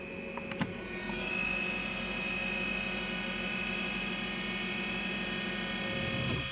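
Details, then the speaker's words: Small electric flap linear actuator motor on a War Corsair, newly fitted stronger motor with 4in stroke and adjusted micro switch, holds a smooth steady whine about five seconds then stops by itself; seems possibly slightly slower than the other; normal actuator operation. "35 now that's straight up seems like it's possibly a little slower than the other"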